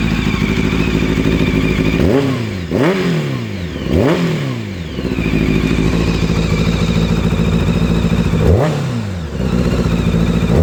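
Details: Honda F4i motorcycle inline-four idling with sharp throttle blips and a raw puffing edge from an exhaust leak at the header.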